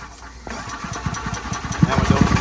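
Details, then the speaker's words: EZGO gas EFI golf cart: the starter cranks with uneven spitting, popping and sputtering, catching briefly but never running, and it won't crank up even with the pedal floored; cranks but won't start. "See how it spits and sputters?"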